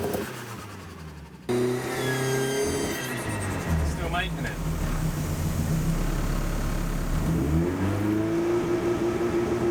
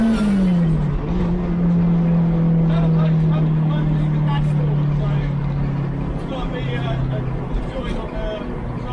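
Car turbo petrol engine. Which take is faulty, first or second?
second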